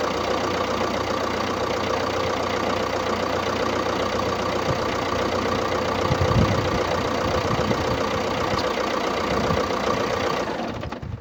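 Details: 2017 Opel Combo X12, 1598 cc 77 kW diesel, engine code A16FDH, 331104 km, idling: steady whistling tone over a loose, uneven rumble; noise caused by a clogged diesel particulate filter (DPF).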